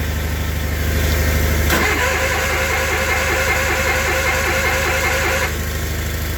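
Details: Old Case/Ingersoll tractor (Onan/Perkins engine) on 20-50 oil in engine and hydraulics, cold start in cold weather on full choke at about quarter throttle. A short crank, then it catches in under two seconds and settles to a steady, even idle: a healthy cold start.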